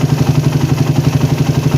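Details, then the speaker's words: Warmed-up (only slightly hot) single-cylinder engine with PWK/PE carburettor during idle air-screw adjustment: screw turned slowly until rpm rises and idle is most stable; even, steady putter about eight beats a second, no hunting or misses. "Terus putar pelan-pelan sampai dapat idle paling stabil guys. Kedengeran ya, RPM-nya naik."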